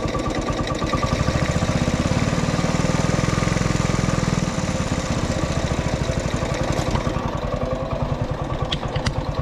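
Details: Honda ATC 90 running after sitting 50+ years, carburetor sandblasted, points adjusted, valve clearances checked: small single thumps at an even, quick beat, revs briefly then settles to a steady idle; runs normally.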